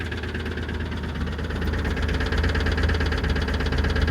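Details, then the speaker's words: 2002 Ford Explorer Sport 4.0L V6, 5-speed, 250,000 miles, after coil pack and plug replacement, recorded near the exhaust: a fast, steady tick over a rough idle, no misfire code; owner suspects an exhaust leak or a stuck valve, unconfirmed. "It almost seems like a misfire, but there's no check engine code saying that it is."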